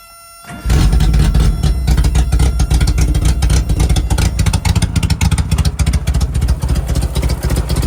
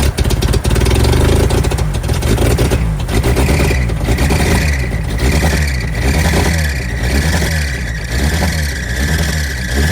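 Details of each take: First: 1988 Suzuki Samurai parked since the late 1990s, straight-piped with no exhaust at all: engine catches and settles into a loud, raw, popping idle with sharp exhaust cracks. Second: 1988 Suzuki Samurai parked since the late 1990s: engine cranks, catches and runs on its own, then is blipped several times and picks up cleanly.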